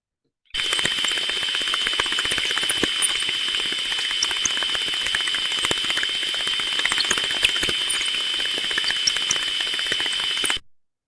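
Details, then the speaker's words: Gearbox heard via ultrasound: under a steady hiss, sharp impacts repeat about four times a second, slightly unevenly, instead of smooth uniform sound; damaged teeth in the gear mesh. "so we can hear that repetitive impacting sound that actually identifies damage to one of the gear mesh within the actual Gbox itself"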